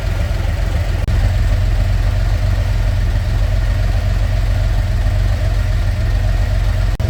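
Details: Narrow Gauge Bombardier, after a new thermostat and gasket for high temperature, held at about 2000 rpm with the heat gauge where wanted while settings are being tuned: a deep, even drone with no knocks, misses or surging. Sounds healthy.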